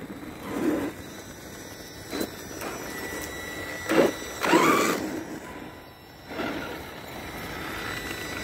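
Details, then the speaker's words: Team Associated MT8 RC truck on its first run with a Spektrum 2050kV 6S motor on 4S, 13T pinion and 120C battery: short bursts of thin electric whine rising and falling with throttle over a faint hum; source unclear; motor under 100 degrees afterwards. "hmm something's making some noise let's see what it is"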